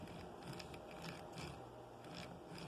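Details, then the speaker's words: Gear noise: uneven gritty chatter in short bursts as the drivetrain turns; pinion-spur mesh suspected a bit snug; set screws thought to have spun on the axle and grooved it, and a chewed gear was replaced. "the mode has tipped a little bit got some there to try to strengthen up those bends it seems like it's mashing up really good"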